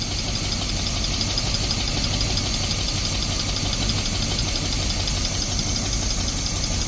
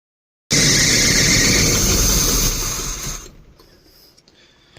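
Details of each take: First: 1972 Barth motorhome, first run on its own in 15 years, fuel filter leaking: steady, even idle holding without help, no stumble or misfire; old engine running cleanly after sitting. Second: 1972 Barth motorhome, first start attempts in 15 years after charging battery and filling the empty carburetor with fuel, fuel filter leaking: loud, steady high-pitched screech during cranking that fades after about three seconds; cause unclear.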